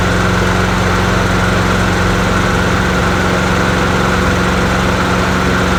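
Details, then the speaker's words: Bolens 22-inch push mower, 4.5 hp Quantum single-cylinder engine, free marketplace non-runner after cleaning and priming: loud steady drone at constant speed, no stumbling or surging; normal running, though owner thinks it needs an oil change. "actually don't sound too bad not bad not bad not bad"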